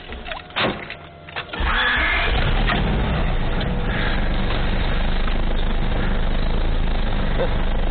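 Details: Honda Civic B16A after a timing belt replacement, belt timed to three notches rather than the manual's mark, which wouldn't run; it fires after a brief crank and settles into a steady, even idle without stumbles or rattles. Normal idle.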